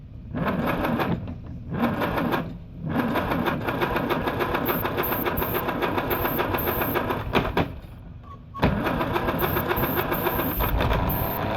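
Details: 1949 Farmall C, sat for years, running on its own fuel via a stand-in carburetor: chugs unevenly with a couple of sudden dips and catches; runs, but roughly. Cause suspected, not confirmed.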